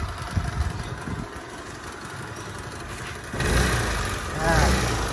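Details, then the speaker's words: Piaggio Zip scooter after servicing a noisy engine with several parts replaced: steady idle with an even, soft beat and no clatter from the belt drive, smoother and quieter than before, normal idle. "suaranya lebih halus main ya Kelihatan suaranya lebih harus nggak berisik seperti di video sebelumnya"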